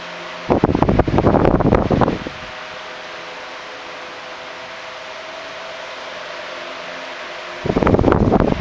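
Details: 1976 Electrohome 30 cm (12-inch) desk fan, made in Korea, four clear blue pitched blades, on high speed: steady even whirr with low motor hum, no rattles or ticking, running normally.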